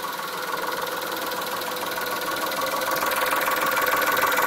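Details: Chrysler Stratus/Cirrus after a timing belt change, on a warm start with full E85 fuel in cold weather. The coolant had just been flushed and cold coolant added to the warm engine. A steady, rapid ticking knock of about three per second rides over the idle; origin unknown.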